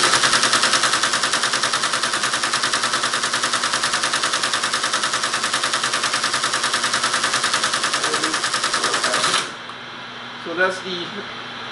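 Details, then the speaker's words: Teletype ASR 33 under restoration, paper tape reader reading a loaded program tape: a steady, even mechanical chatter at a constant fast rate for about nine seconds, then a clean stop. The reader is feeding and reading properly. "I've loaded tape and I'm going to read the tape so this there will be a program"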